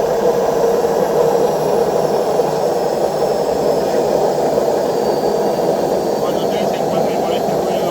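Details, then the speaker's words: Washing machine during spin cycle: constant hollow jet-turbine roar, no knocking, steady rush; worn drum bearings, both bearings and the seal need replacing. "es el famoso turbina de avión, es porque tiene problema en los rodamientos. O sea, hay que cambiar los dos rodamientos y el retén."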